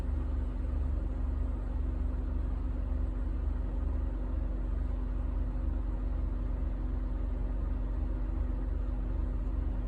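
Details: 2007 Honda Ridgeline petrol V6 at cold first start-up idles with a deep, uneven rumble and loping stumble two or three times a second; misfire occurs only when cold, VTM-4 light on.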